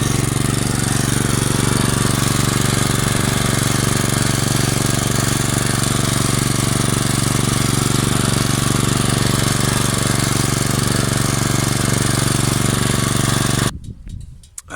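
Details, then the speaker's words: Weibang Virtue 53 mower, Loncin 196cc engine, at the stock governed speed of about 2800 rpm before adjustment: a steady, even drone at constant speed with no surging or misses until shutdown. Normal governed full-throttle running. "So this is the stock engine RPM. This is what it sounds like. Helps if I turn it on."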